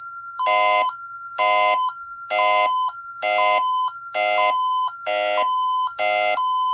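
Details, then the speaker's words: GE 103-22 pull station simulating a burglary device on Zone 08 of a SafeWatch Pro 3000EN panel with ELK-110 siren driver, armed stay, entry delay expired: loud two-tone siren pulsing about once a second with "Intruder! Leave immediately!" voice; burglary alarm. "Now it's on the alarm. Intruder! Intruder! Leave immediately!"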